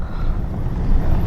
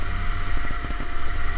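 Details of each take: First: 2010 Ford F-150 4.6 V8 driving on a bumpy road after replacing front sway bar end links with heavy-duty ones: only steady road rumble and engine drone, no more clunking or rattling from the front end. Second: 2010 Ford F-150 4.6 on a test drive: sharp irregular clunks from the front end in bursts over bumps, above engine and road rumble; worn sway bar end links, being replaced.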